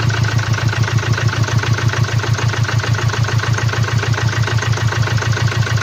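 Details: 2017 Land Rover Discovery TD4, 2.0 L 204DTD diesel, 150 PS, 175,719 km, at idle: sharp, even knock about three per second over the steady idle, caused by a defective fuel injector.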